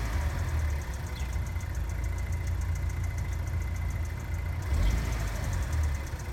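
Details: GM LNF engine just after cold start: light, quick tapping/ticking over deep steady idle, which goes away once warmed up; cause unknown.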